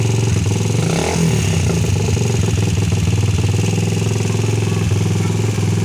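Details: Rusi 150 single-cylinder motorcycle after fixing a no-start with very weak spark: faulty stock spark plug cap replaced. Even, steady low beat with no gaps or misfires; the engine fires consistently and runs normally.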